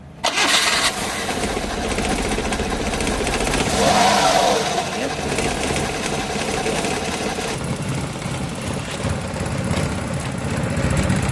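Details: Suzuki F6A pickup after repair (distributor cap cleaned, tune-up, crank and transmission oil seals and tensioner bearing replaced), previously misfiring, hard-starting and stalling; engine catches within a second and settles into a steady, even idle with no misses; normal start and idle.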